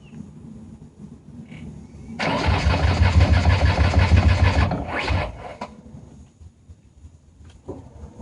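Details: 1993 Ford Taurus SHO manual that cranks but won't start despite new fuel pump, filter, crank and cam sensors, plugs, injectors, ignition module, coil pack and CCRM; spark present: about 2.5 seconds of steady cranking, roughly three beats a second, no catch.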